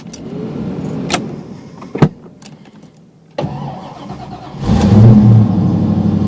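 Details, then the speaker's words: 1986 Mustang GT, fuel-injected daily driver, cold start at about 50 degrees outside: brief cranking, catches quickly and settles into a steady, even idle; clean, healthy cold start. "fuel injection it starts pretty good"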